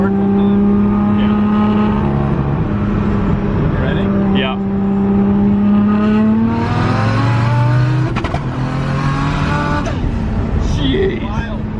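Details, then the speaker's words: Turbo 1.5JZ-swapped BMW E36 on hard pulls, no-lift shift on the 3-4 shift: note drops and roughens at each flat-foot shift, engine breaking up; driver thinks it goes a little rich on the no-lift shift. "It just sounds like it gets mad, like it like starts breaking up, so it scares me. Like I think it goes a little bit rich on the no lift shift."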